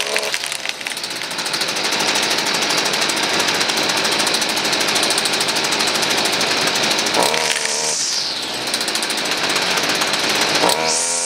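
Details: Stihl FS38 two-stroke grass trimmer, after carb adjustment and with trimmer line refitted (it ran slightly off without line): a crisp, even buzz with clean throttle blips rising and falling smoothly. It runs properly.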